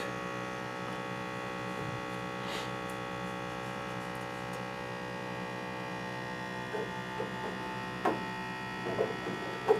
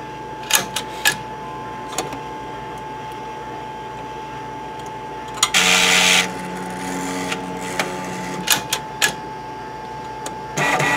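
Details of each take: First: M2X Series DTG printer being filled with P30i ink: ink pressure pump hums steadily without cutting out, unable to pressurize bottles because one ink bottle is left open, an air leak. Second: M2X Series DTG printer during fourth, longer cleaning with white ink line connected: clicks and clacks, then steady whirring hum over a thin constant tone as the white ink circulation pump turns on; normal operation.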